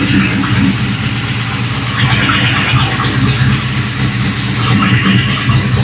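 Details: V8 after installing die-cast valve covers with coil brackets, cold start after sitting about a week: engine settles into a steady, even idle burble with all eight cylinders firing and no misses; normal idle.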